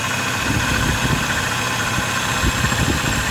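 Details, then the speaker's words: Overheating vehicle whose cooling system held plain water; checked at startup before warm-up. A steady rush of air from the fan over an uneven low idle, with no grinding or squeal. The fan works properly. Cause was later found to be a clogged radiator and a bad cap. "Okay, it's running. The fan looks pretty good. It's blowing good. Okay, so the fan is working perfect."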